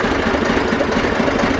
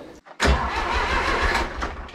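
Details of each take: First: Zetor 4911 tractor diesel, stored since 2012, restarted after coolant top-up with no leak at the cylinder head, warming up: steady even clatter at settled idle, no misses or knocks; running sweetly. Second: Zetor 4911 diesel tractor sitting in a shed since 2012, engine renovated before storage, core plug leaking at the back of the head: rough cranking catches briefly, fades, then a second crank brings a lumpy run. Cranking and starting.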